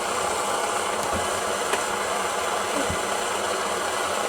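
Constant, even hissing roar with no sputtering, pulsing or flare-ups; the pressure burner is running clean and steady.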